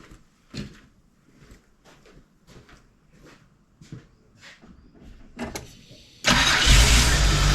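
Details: GM 3800 V6 (Holden Commodore) after refitting the ignition coils on the DFI module: starter turns over evenly at about three beats a second, then fires at once and settles into a strong, even run; normal start.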